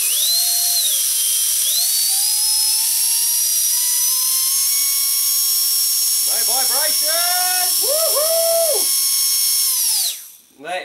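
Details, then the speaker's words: Micro ducted fan (EDF) on a 2S battery after balancing with tape on the hub: a high, clean whine holding steady as it spools, with no wobble or throb; it purrs smoothly and the earlier raspy rattle is gone. "purring like a kitten wow and that's on 2s might have barely felt it"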